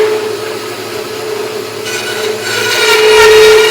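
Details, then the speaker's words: Harbor Freight bandsaw with upgraded Leeson 1 hp 1725 rpm motor (replacing burnt-out 3/4 hp), blade adjusted, cutting a fresh two-stack of 2x4s under firm feed: steady hum holds pitch, no bogging or stalling; normal cutting under load. "i did a cut right there and it worked really really nice um it went really good i could push hard you know not hard hard but like it wouldn't stop even if i pushed real hard it would just keep on going"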